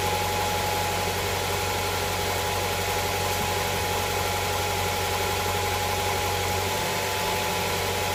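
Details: Honda Prelude SH after oil cooler/adapter gasket replacement, oil filter refitted, started to check for leaks: even, settled idle with smooth hum and faint steady whine, no misses or knocks; no leak seen after about ten minutes.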